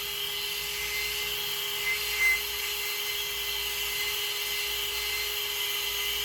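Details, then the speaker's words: New Surpass Hobby ESC cooling fan just installed in an Arrma Senton 4x4 RC truck, replacing a broken one; thin, steady high-pitched whine with constant pitch, no ticking or grinding, good airflow: normal cooling fan running. "all right that it's back plugged in let test this baby out see if works like a charm got some nice blow through"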